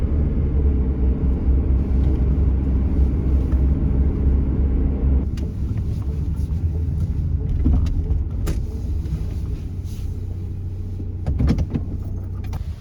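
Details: Truck road test about two weeks after a newly installed timing chain developed a noise; defective part returned. Steady low engine drone on the road with no ticking or chain rattle; engine quiet and healthy as it should be.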